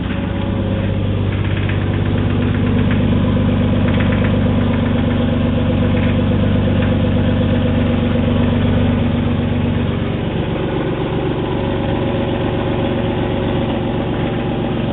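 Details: 1986.5 Toyota Supra 7M-GE, first start after rebuild, distributor turned 180°: steady, even idle with a smooth low rumble and no knocks; a brief valve tap before oil circulated went away.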